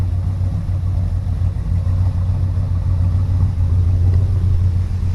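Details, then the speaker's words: 1971 Chevelle V8 after a Crane Gold roller rocker arm swap, AC belt still to tighten: deep, even idle with steady low burble and no top-end ticking; adjustments good, valvetrain quiet and healthy. "Well, it's all done. Running. Sounds good. I got to do the AC."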